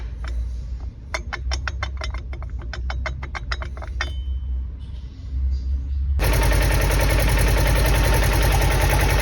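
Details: Polaris Xpedition UTV engine: a sharp, regular tick about three and a half times a second rides over the idle before the revs come up; cause of the engine noise unclear.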